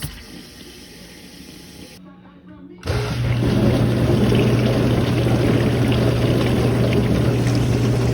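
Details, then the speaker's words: Dishwasher that had stopped washing, after wash motor replacement (old motor showed a gap): quiet hum then steady low motor tone with even water spray swishing; normal wash cycle after repair. "That's the satisfying sound of getting it right."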